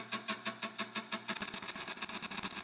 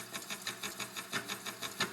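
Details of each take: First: Used slitting saw of unknown sharpness, red dot marking a suspected bad tooth, test cut on scrap steel at 365 RPM, slow hand feed about 4 mm/s: steady high scraping hiss with faint even tick, no single-tooth thump; cutting cleanly. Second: Slitting saw cutting steel at 8 mm full depth of cut: quick regular tooth ticks about six a second with an occasional heavier intermittent clunk; suspected one or more dull teeth, not confirmed.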